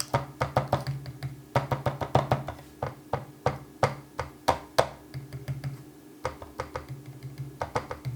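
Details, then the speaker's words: MoErgo Go60 keyboard after six months of daily use: keystroke clacks with a thin metallic ping on the right side, caused by a wobbly, poorly fitting right palm rest; manufacturer sent a replacement palm rest. "You can hear it get some pinging on the right side and not on the left side. So, yeah, that's that's not nice."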